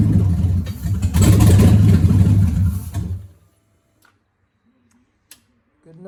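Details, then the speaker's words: Customer's G3 Hemi-swapped Cuda engine harness and PCM bench-tested on a test stand; the owner says it won't start, but here it catches at once, revs strongly and evenly, then shuts off cleanly, with coolant not connected. "for me it runs so he was saying it wasn't starting up but right now it's starting"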